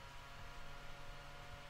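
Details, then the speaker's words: Roland V-1HD video switcher's internal cooling fan, lid open, before the quieter fan mod: steady low hum with an even airy hiss, no pitch change, arguably more obnoxious with the lid on; loud cooling fan hum. "that's the sound of the internal fan and with the lid open it might be a little bit louder but it's almost more obnoxious with with the lid on"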